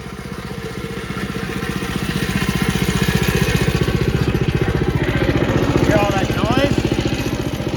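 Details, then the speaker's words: Mini bike with stock chain clutch and jackshaft, before fitting a torque converter (CVT) kit: at idle and while revving, a loose metallic chatter swells with revs. The clutch and jackshaft chain are rattling noisily. "You can hear the clutch and the jack shaft chain all rattling around. It's terrible, it's noisy."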